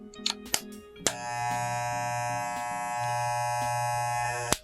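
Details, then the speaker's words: Wahl hair clipper with an attachment guard fitted: a click, then a harsh steady buzz as the cutting blade sits slightly above the fixed blade and strikes the inside of the guard; lowering the lever makes the noise disappear. "entonces la parte de las cuchillas empieza ligeramente a golpear la parte interna de la peineta generando este sonido tan incómodo que vamos a probar a continuación"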